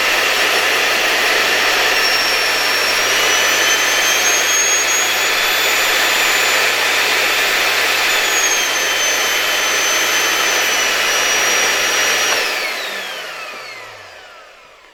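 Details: LG V-3340D vacuum cleaner after replacing its loud original motor with a new no-name 1400W motor: steady high-pitched whine for about twelve seconds, then a smooth wind-down after switch-off; the new motor runs normally with no excessive sparking.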